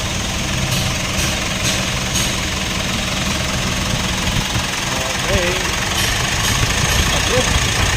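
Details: 2016 Mitsubishi Montero Sport diesel, after replacing the failed alternator bearing: steady, even idle with no whine, squeal or rumble; noise gone, engine sounds normal.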